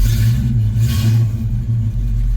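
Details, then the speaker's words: Mustang after ignition switch repair cured crank no-start, started cold: deep uneven roar sagging and surging as it struggles to settle; owner says it needs the accelerator pump fixed, not confirmed as cause. "Oh, well, she's a little cold, so, but you can hear she's trying to start. Oh, come on, baby. Need to fix that accelerator pump."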